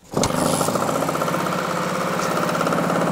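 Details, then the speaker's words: 1966 Yamaha YL1 Twinjet 100cc two-stroke twin from a junkyard: runs with a steady, slightly flat, choked buzz while leaking fuel from the drain; owner believes the exhausts are clogged, unconfirmed. "Tira gasolina y creo que los escapes están tapados."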